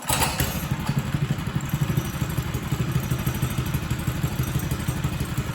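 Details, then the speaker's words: Mega Moto minibike 212cc engine after carburetor cleaning, cold start on choke: uneven thumping, loping irregular firing, running rough; owner says it is always cold-blooded and needs time on choke to warm up. "Let it warm up for just a second here. That's not great. We'll let it warm up just a second longer. This thing always has been sort of cold bloodooded."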